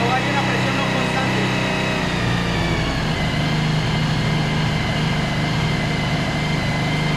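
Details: 2013 Suzuki V-Strom 1000 with a fuel pressure gauge connected, which later holds 40 psi. Steady low idle drone with a slightly uneven, stumbling beat; it's misfiring, cause not yet found.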